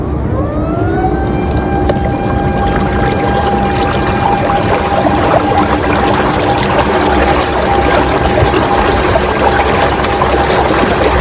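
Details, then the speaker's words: Newport NK180 kayak trolling motor on the water, measured up to 91.2 dB, knuckle assembly with excessive play: tone sweeps up then holds loud piercing siren-like whine over water splash; abnormal motor whine, cause unknown. "It wasn't just loud. It was damn release siren loud."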